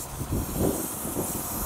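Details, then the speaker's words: Tire punctured on a road trip, after a first plug attempt with a repair kit: a steady high hiss of escaping air under a low rumble. The plug did not seal and the tire still leaks. "well it didn't take I could still hear it hissing"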